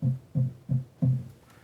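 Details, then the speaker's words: Pro-Ject Debut Carbon DC turntable stopped, needle resting on record: four dull low thumps, one per tap on the plinth, carried through needle to speakers; normal vibration transfer, doesn't occur during playback. "hear that thud, right? Okay, well that's natural, because some vibration is going to go from the turntable to the record to the needle and to your speakers when you tap on that."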